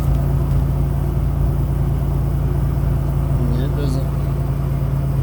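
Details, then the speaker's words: Cold start of a 1985 Nissan 300ZX Turbo T-top 5-speed engine, stone cold (manifold cool to touch), on high idle: steady low drone at raised even idle, no knocks or misses; normal cold high idle. "Okay. So, now um the comment was about the sound. Right now, we're going to be on high idle."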